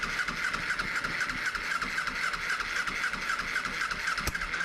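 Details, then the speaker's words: 2007 Kawasaki Ninja EX250 sitting 5 years, cranked with starting fluid: ragged sputtering crank that catches and dies with a backfire pop; vacuum leak from the open fuel petcock vacuum hose leaning it out. "Oh, a little backfire. Oh, it's trying, but I got a vacuum leak right here."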